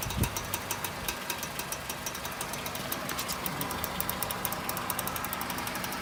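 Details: 2002 Honda CR-V RD, right-hand drive: a quick regular clicking of about five per second when steering right, over engine and road noise. Worn CV joint; replacing the whole passenger-side axle removed the noise.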